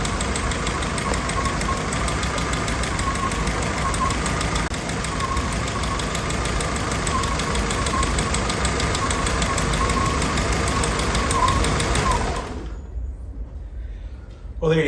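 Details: Willys Jeep CJ L134, fully rebuilt engine with rebuilt Carter WO carburetor, cold start running; valve tick from the valvetrain, owner says the valves need adjusting.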